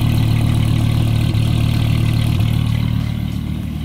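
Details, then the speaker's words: 1990s Dodge V10 (two five-cylinder banks with separate exhausts), just started cold: deep even rumble, steady low drone, no misses or knocks, described as angry UPS truck sound; normal idle, runs a little rich. "you have five cylinders on that side and five cylinders on this side and they don't meet up at all which gives it this kind of like angry UPS truck sound"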